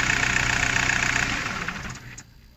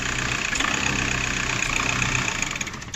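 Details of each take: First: VW Golf 4 diesel after repairing a broken wire causing vibration and stumbling: idles evenly, then winds down and stops cleanly within about a second when switched off; normal. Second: VW Golf 4 diesel idling unevenly with an irregular stumble and vibration; injectors already replaced and filter fine. The cause is the intake shutoff flap, whose vacuum tube and solenoid valve make it cut in intermittently.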